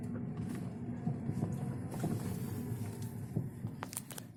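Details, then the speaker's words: Lada Vesta driving on a rough uneven road, irregular dull knocks from the front end over road rumble; dealer diagnosed worn left anti-roll bar link and anti-roll bar, both then replaced. "вот хотел продемонстрировать как у меня вот передок сейчас начал бить сейчас вот поеду парка такой неровной дороге слушайте"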